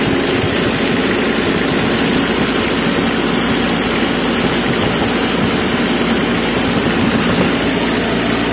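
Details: Mitsubishi L300 diesel after repair for morning white, eye-stinging smoke: dense, steady clatter at an even idle with no misses, and the white smoke is gone. Running smoothly.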